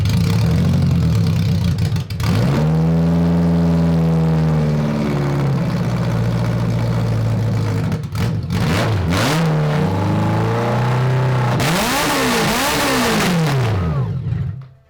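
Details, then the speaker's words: 1980s 1000cc BMW engine in a homemade mini trophy truck go-kart, after a wiring fault behind the cluster was fixed: clean idle, then crisp revs up to 8,500 rpm with a smooth, even note and no stumble; running healthy. "all right so that was 8 500 rpm still got it breathing through that still got it okay yeah not a restriction people perfect"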